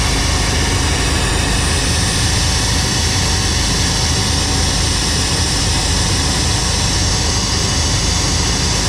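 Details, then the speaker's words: 1990 Chevrolet K2500 V8 that had random misfires: steady deep idle, constant even drone, no knocks or misses; running cleanly, normal idle. "he's going to go and start up let's see if it runs any better better better already"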